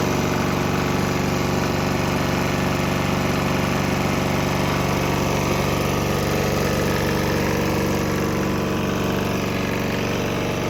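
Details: Swan X 165F Chinese single-cylinder diesel on 50-50 used motor oil and diesel blend: smooth, regular idle chug with no misses, earlier bucking and stumbling having cleared after the transition; normal running.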